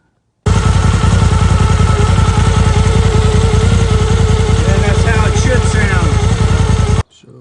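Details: Polaris turbo at idle with a wood stick wedged in the clutch spider gap to stop clacking: regular pulsing beat of about three per second with no sharp clacking; clutch running quiet, spider play confirmed as the clack source.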